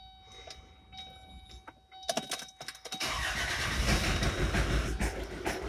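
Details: Kia Sportage/Sorento 2.0 CRDi common rail diesel, smoking heavily: cranks, catches and runs loud and rough with a hard uneven engine knock right after starting; cylinder head must come off.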